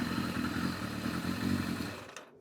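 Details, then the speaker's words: Yamaha FZR1000 with rebuilt carburetors, just synchronised with a Digi Sync gauge: smooth even idle with a steady beat, no misses, for two seconds before it dies away; carbs balanced. "So anyway, that one's balanced up. As you can see, it's on the button. Ticking over very nicely."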